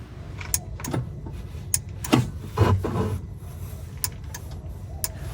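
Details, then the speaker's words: Polaris RZR, key on, engine off, in the cab at the fuse block under the left side of the steering column: brake relay gives sharp, isolated clicks over a low hum with each brake pedal press, showing the brake relay is good. "If you just turn the key to the on position and listen for that relay when you step on the brake, you can also feel it if you put your hand on it. And this is telling you that that brake relay is good."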